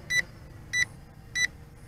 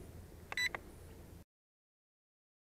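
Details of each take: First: Bayangtoys X16 brushless quadcopter in flight with headless mode switched on: short high beeps repeat evenly about every 0.6 seconds over a faint motor hum. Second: Bayangtoys X16 brushless quadcopter camera: pressing the photo button gives a short, clean electronic beep as the photo is taken, then quiet. Normal confirmation.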